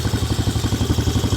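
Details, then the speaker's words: 2003 Honda TRX 90 ATV rescued and repaired, single-cylinder just taken off choke: fires right up and settles into a steady, even putter of about seven beats a second with no knocks or misses; normal idle. "take it off the choke this little thing hers baby sounds pretty good"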